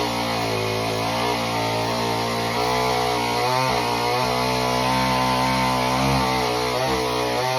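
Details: Homelite Super Mini two-stroke chainsaw, customer saw that wouldn't run, rev or idle, after an adjustment of about a turn and a half: strong steady buzz dipping slightly and recovering as the chain bites the log; normal cutting under load.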